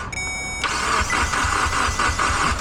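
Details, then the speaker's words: Mitsubishi Evo X with no-start after owner replaced broken key antenna: starter spins the engine in an even quick chug, about four beats a second, but it never catches; possibly immobilizer-related, starter also suspect, unconfirmed. "So, it cranks over. Uh, doesn't seem like it wants to start, though."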